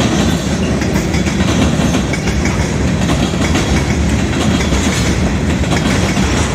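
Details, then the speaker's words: Southbound CSX freight at South Beech Street crossing, Oxford, OH, picking up speed: heavy rumbling roll with fast steady clickety-clack; onlookers suspect a bad spot in the track, perhaps a gapped rail joint, unconfirmed. "I'm wondering what's making that. There's like a bad spot in the track or something."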